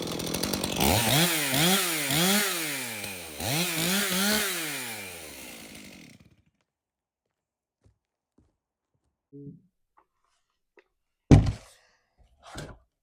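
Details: Stihl MS 391 chainsaw, customer-reported no-start, run on fresh two-stroke mix: crisp snarl climbing and falling cleanly through several blips, then shut off. It runs healthy; stale watery fuel is suspected as the cause.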